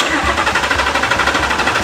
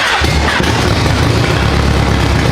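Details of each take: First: Mercedes-Benz E300 with swapped 5.2 L Voodoo crate engine, cranking with injectors and ignition coils unplugged to check RPM signal: even starter churn with regular compression pulses, never catching; healthy crank, no fire. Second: Mercedes-Benz E300 with swapped 5.2 L Voodoo crate V8, freshly started: lumpy, uneven beat, not firing on all eight; paper-towel bits then blow out, suggesting intake blockage.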